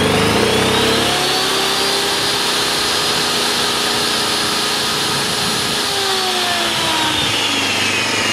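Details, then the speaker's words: Honda EU2000i inverter generator with Eco Throttle, saw switched on as load, saw about 15 ft from generator; climbs from low hum to a steadier, higher drone, smooth and even — normal rev-up under load. "when we walk away from in the generator I'm probably now about 10 ft away if you walk um maybe 20 ft away um it's barely noticeable at all"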